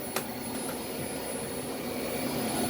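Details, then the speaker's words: Older Dyson upright vacuum with missing back pedal, sticking rear valve and cracked brush-roll end cap: steady airy roar with thin constant high whistle; same abnormal noise as owner's DC25, exact cause unclear. "give us a run makes the same noise that mine did"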